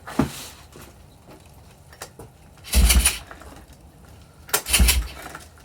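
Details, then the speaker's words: 1985 Kawasaki KLT 160cc pull-start three-wheeler ATV with new spark plug, re-threaded head, confirmed spark, starting fluid tried: two hard pull-start cranks, short rough bursts, never catches; owner suspects low compression (weak thumb test) or a bent valve. "it i don't know why it's not starting there might be low compression or one of the valves might be bent i'm not sure let me know what you think"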